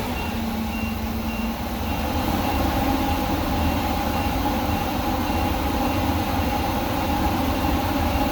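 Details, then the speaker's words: Workhorse chassis 8.1 Vortec on an 88°F day, fan clutch engaged after reaching about 225°F: a steady, loud rushing roar of air over the engine that holds without fading; clutch locked and working. "all right it's finally starting to kick in it took a while that's the sound i've been waiting for it took it a while you have to get to 225"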